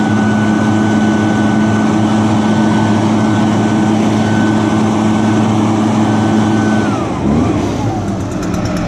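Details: Echo equipment, started on choke after priming bulb under the carburetor, started easier than expected: steady, even high-pitched two-stroke run, pitch easing off smoothly near the end; normal idle and throttle response.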